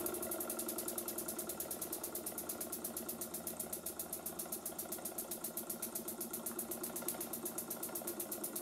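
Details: Burnac Vulcan model steam engine in a live steam test, methylated-spirit burner, boiler half full, engine freshly oiled: quick even chuffing about four beats a second with a steady hiss; runs OK though a problem still needs addressing, normal running.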